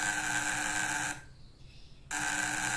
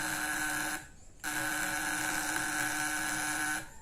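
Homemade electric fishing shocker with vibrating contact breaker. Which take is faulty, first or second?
first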